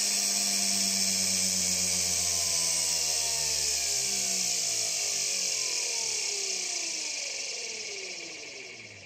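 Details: Big scrapyard brushless DC motor driven through a 30 A drone ESC by a servo controller: smooth high whine steadily falling in pitch as the motor slows, no rasp or roughness; healthy run.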